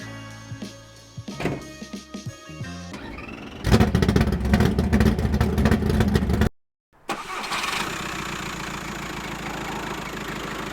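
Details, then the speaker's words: VW Transporter T5 diesel idling after alternator pulley replacement: steady, even clatter, only slight vibration left; the earlier rumble, cabin noise and auxiliary belt tensioner vibration are gone. "all right yeah it still sounds like a tractor but it sounds like a good tractor like a well-looked after tractor there is no longer any weird like I mean there's still a little bit of vibration but it's no longer like a weird noise going on inside the cabin"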